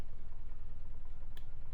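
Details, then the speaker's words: RV furnace, heat selected on the thermostat above the 72° coach temperature: one crisp relay click over a faint low hum as the blower motor starts its roughly 15–20 second purge before ignition; normal operation. "and you can hear it click and that click corn sides with i can hear the blower motor going right now"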